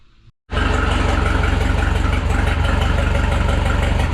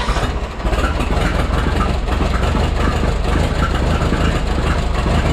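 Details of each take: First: Rebuilt Minneapolis Moline 335 tractor engine: after advancing the timing a little, it catches and settles into a steady, even chug of about four beats a second with no misfires; idle sounds smooth, though the owner notes a blow-by problem. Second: Freshly rebuilt Minneapolis Moline 335 tractor engine after restoration: loud, uneven, lumpy beat instead of a smooth idle. Owner says it isn't running right and needs tuning, possibly a slight timing adjustment; tappet gaps were reset warm.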